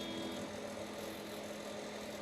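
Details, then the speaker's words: Squier Jaguar with two single-coil pickups and poor factory shielding, a screw possibly missing: steady low buzzing hum with faint higher tones through the amp, dropping when strings are touched; ground hum. "but a hum issue you would expect with 2 single coil pickups. But he was doing some recording and he touched the strings and the ground noise went away."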